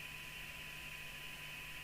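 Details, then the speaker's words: Realistic TRC1012 UK CB27/81 FM CB handheld (1994), own set after first alignment, rather deaf: 3 microvolt test signal barely rises above steady hiss with faint buried tones, weak received signal with noise, receiver insensitive; no service manual to improve it. "that's 3 microvolts you're hearing."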